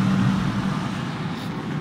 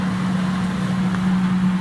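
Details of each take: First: Defy Autodry DTD252 tumble dryer: the motor and fan run and blow air, with a steady low motor hum and no drum tumbling or load, then the hum fades as it stops. The drive belt is broken; the fix is a new belt. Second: Defy Autodry DTD252 tumble dryer after belt replacement: steady, even motor hum with no slapping, squealing or rubbing as the drum turns again; previously motor ran but drum didn't turn; now running normally.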